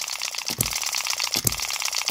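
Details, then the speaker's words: Miniature hit-and-miss model engine, latch barely moving after the governor spring was tightened slightly, running a little faster: light steady ticking with a sharp firing pop about every 0.7 s, coasting between. Normal even governor cycling, though a con-rod knock is still audible. "I don't expect this to be like this from the factory that is barely moving that latch just barely moving it's a nice speed that's a little bit faster than it was"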